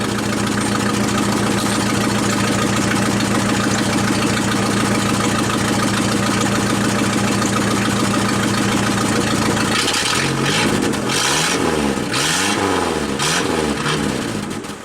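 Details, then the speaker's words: 1988 Dodge Dakota, 2.2-liter four-cylinder, 5-speed: raspy idle rising to loud, blatting open-pipe revs after the muffler came loose while driving. This is an exhaust leak near the loose muffler. "but that's camera here it's right there's about where the exhaust leak is"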